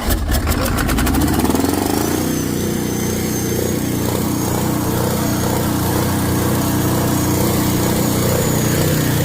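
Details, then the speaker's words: Ford 6.9 IDI turbo diesel, extra diesel going in: loud, rough rumble with a heavy, uneven knock; fuel knock from overfueling. "There's a lot of extra compression there."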